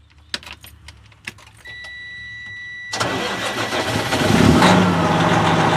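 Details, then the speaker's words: Truck with heavy clutch, sitting unused during quarantine; a few clicks, short crank, then fires and holds a steady even idle with a light blip; normal start. "Yay! It starts. And she is set."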